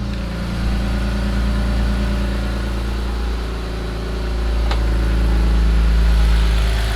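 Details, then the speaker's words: 2002 BMW 330i M54 inline-six, cold start right after clearing adaptations and codes following rough running: even steady idle, smooth low hum, constant pitch, no misfire or lope; sounds all right so far. "that sounds all right so far but I don't want to speak too soon I've just started it and it's cold"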